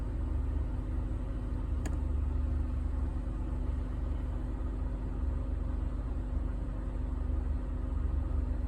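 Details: 2007 Honda Ridgeline V6 on cold first start-up idling with a low, uneven chuff and loping beat, a misfire occurring only when cold, VTM4 light on.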